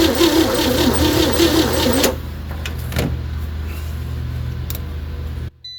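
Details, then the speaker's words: 1960 Chevy C10 235 six after 40 years sitting, on booster and charger, spark confirmed: starter churns about two seconds then drops off with no catch; owner suspects weak compression, blow-by and unseated rings; cranks no start. "Well, it's trying to fire. I think our compression is just so weak."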